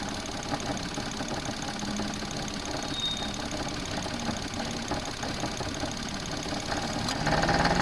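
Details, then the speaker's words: Close-up engine-bay recording at idle: uneven knocking rattle about three times a second, appearing only with the A/C on, faint in cabin otherwise; cause unclear. "In this case, I found quite quickly when the AC was on, the noise was coming in."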